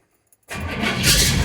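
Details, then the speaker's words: 1955 GMC truck with Pontiac engine, first start after intake manifold gasket replacement, gas poured in carb, in park: fires instantly after half-second, settles to firm steady idle around 800 rpm; healthy start. "Oh, she lights right up. Oh, green line tack works. It's actually idling 800 RPMs."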